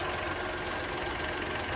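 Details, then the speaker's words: 1962 Rambler American 400 four-stroke, engine running, diagnosed with a wooden dowel stethoscope: loud constant rough growl like a dry worn bearing; traced to the alternator, whose bearings are suspected bad. "And I've got my diagnostic tool here, which is an old rake handle, a wooden dowel, and I'm trying to diagnose that growling noise that I'm hearing."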